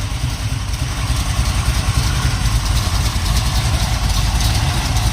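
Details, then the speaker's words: 1970 Pontiac Trans Am Ram Air III 469ci stroker, Lunati hydraulic roller cam, Johnson limited-travel hydraulic lifters, Scorpion roller rockers: lumpy idle with slight exhaust cackle and no lifter noise; quiet lifters, healthy. "notice how quiet the lifters are on this. These videos are a little bit hard to tell. I mean, sometimes you hear the exhaust cackling a little bit, but there's no lifter noise."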